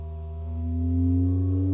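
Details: Medion TV speaker during 50–400 Hz frequency sweep: low tone sweeping upward with thin higher whistle riding on it; speaker squeaks from resonant interference, cause unknown.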